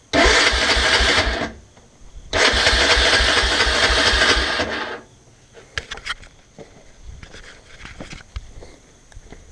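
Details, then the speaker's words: Honda 300 Fourtrax with 317 big bore kit, first startup after reassembly, fuel on to prime the bowl: two bursts of steady starter cranking with no firing because the spark plug cap was left off. "i suppose it would help if the boot for the carburetor or the spark plug was in there like it's supposed to be"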